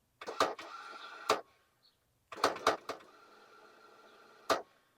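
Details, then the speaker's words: Ford Courier that sat 30 years, heavier-duty starter fitted, triggered with a jumper wire: two short bursts of thin whirring between clunks with no cranking beat; the starter spins without engaging, and the owner fears a stripped flywheel. "I hear the starter spinning but it's not engaging and it does not sound good hope the flywheel ain't stripped out"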